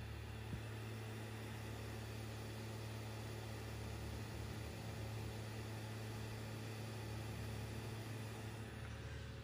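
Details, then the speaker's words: PS5 disc drive installing a game from disc: constant low whirring hum throughout; noticeably loud for a console, much louder than the Xbox Series X drive. "good lord you guys might be happy by the digital version this is unacceptable the series x is not nearly as loud"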